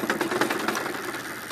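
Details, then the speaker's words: Tata Stryder Zeeta e-bike about two to three months old: fast sharp ticking about ten per second from the hub motor only under throttle, worsening over two days; broken internal gears suspected, unconfirmed. "देखिए accelerator दे रहा हूँ, बहुत टक टक टक टक की बहुत ज़बरदस्त आवाज़ आ रही है और ये पिछले एक दो दिन से हो रहा है इसमें।"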